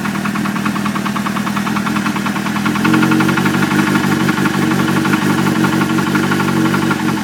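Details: Suzuki GSX-R600 idling with a loose, intermittent knock under the engine note; owner suspects a spun bearing.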